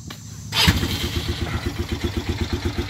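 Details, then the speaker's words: 2018 Polaris Phoenix 200 ATV back from the dealer after the carburetor was fixed for stalling and no-start: catches first try and settles into an even single-cylinder putter, about six beats a second; normal start and idle. "like that runnin like a baby running like she should"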